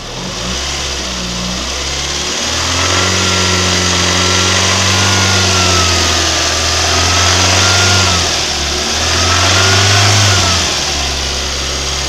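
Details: VAZ 2109 engine revved up and held at about 2500 rpm: a ringing metallic knock rides over the engine tone, cause unclear. Engine knock at 2500 rpm.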